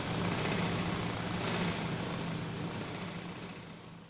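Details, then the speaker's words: Honda PCX 2020/2021 scooter that revved by itself; after repair, steady even idle with constant low hum, no surging or self-revving, rear wheel not turning, now normal. "Bismillahirrahmanirrahim, kita hidupkan. Dan alhamdulillah teman-teman, motornya sekarang normal ya."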